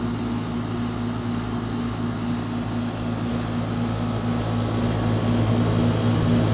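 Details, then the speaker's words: Outdoor unit of a 12-year-old heat pump, loud on start-up and loud while running: a constant low droning hum, excessively loud, which is why it is being replaced. "so that's the existing heat pump as you can hear it's 12 years old loud on fire up and Loud running as well sitting right outside the homeowner's bedroom"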